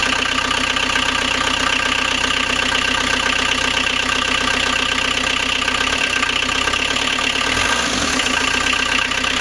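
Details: First start of rebuilt 1.9L AAZ turbodiesel swapped into 1986 VW Vanagon Syncro, after bleeding injectors, temporary glow plug power and cold-start cable pulled; even diesel clatter at steady idle, not stumbling or dying, healthy.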